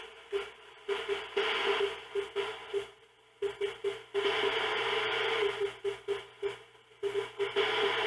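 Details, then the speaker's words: YMAO 6699 cheap SDR-based CB/HF general-coverage receiver on AM: static hiss surges in and out in irregular bursts over a pulsing tone. The noisy spots sound like more background noise, and their source is not pinned down; an antenna-off test was tried. ">> But what's the noisy spots you keep getting? >> I don't know. Something just sounds like more background noise."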